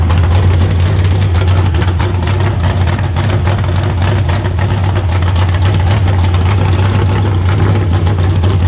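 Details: Freshly built carbureted 388 small-block Chevy (heads and intake reused from the owner's 406, crew-cab Chevelle) idling out of the car on first run: deep, steady, smooth burble, no knocks or ticks; about 80 psi oil pressure, no leaks. Normal idle.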